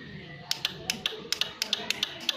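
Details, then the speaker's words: Carbureted Honda Beat scooter hard to start with a normal battery, CDI starter relay jumpered: sharp dry uneven clicks but no cranking, noise coming from the starter motor bendix; seized starter. "itu suara bostel Kenapa saya bisa suara mengatakan itu suara bostel karena di bendy ini keluar"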